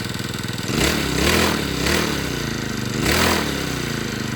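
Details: Two-stroke brush cutter that ran but would not spin its blade, after replacing the clutch drum, shaft and bearing: revs up and settles in smooth, even bursts with no clatter or slipping; the drive now works normally.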